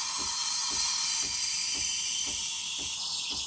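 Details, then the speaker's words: Breville Barista Express BES870, used, freshly serviced, steaming milk with wand tip close to the surface for the first 10 seconds: steady airy hiss with faint rhythmic sucking pulses as air is injected; normal steam wand aeration. "keep the tip close to the milk for the first 10 seconds when you're hearing this hissing sound that means you're injecting air into the milk"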